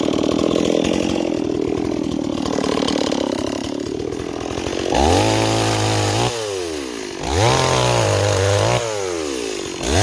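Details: Stihl 026 chainsaw on an 18-inch bar, bucking wood: bogs smoothly into the cut and climbs back to a clean high scream between cuts, pulling strongly and evenly; running right.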